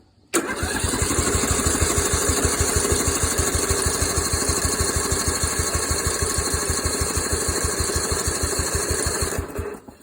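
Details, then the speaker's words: Scrapyard Yard Machines engine: even, rapid cranking for about nine seconds with no firing pulse; no spark because the flywheel magnet was too weak to hold a bolt. Flywheel replaced and coil readjusted afterwards. "so I found out the flywheel did not have any bolts sticking to it or it if you put a bowl up to it it would not stick through the magnet part"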